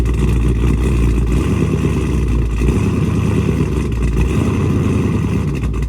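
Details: Dodge Charger Scat Pack widebody 392 V8 on E85 tune, after boost-a-pump and 1050X injectors installed (previously running lean), cold start: deep, loud, lumpy high hunting idle not yet settled; cold-start idle surge, owner says it regulates itself.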